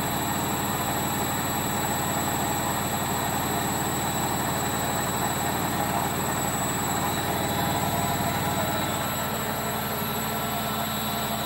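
A steady deep roar with a gritty rumble under it holds through the fast spin, typical of worn drum bearings.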